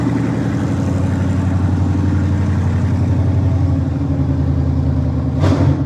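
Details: 1954 Ford F100 with a Coyote V8 engine swap, on its first start-up, idling on open headers with no exhaust and a new electric inline fuel pump: a loud, steady, even deep rumble with no misses or knocks. Normal idle.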